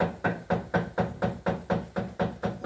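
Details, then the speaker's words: Water mill milling rye: even wooden knocking about four per second from the three-sided damsel shaking the grain shoe, the chattering of the turning stones; normal damsel knocking. "instrument and it's called a damsel and the some suggestion the name damsel is in reference to young girls who used to work in the mill to shake the shoe"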